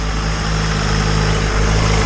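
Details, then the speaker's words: Turbo Honda engine just installed in EG hatch, first start on cheap break-in oil, not in gear; low even idle hum, no ticking or slapping, smooth and quiet; small oil leak from turbo. "This thing fired right up. It is extremely quiet running engine. It sounds extremely smooth, so that is awesome."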